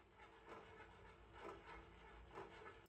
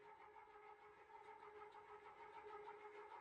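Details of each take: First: Gear-driven ceiling fan, blades removed, after it stopped working again; quiet hum with a faint click about once a second with rotation; owner suspects disintegrating teeth on a plastic gear, same plastic as the one that broke. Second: Restored gear-driven ceiling fan with a new Blender-modeled replacement gear, blades fitted, barely moving air; steady whirring gear drone at fixed pitch with light regular ticking: runs evenly but loud gear drive noise.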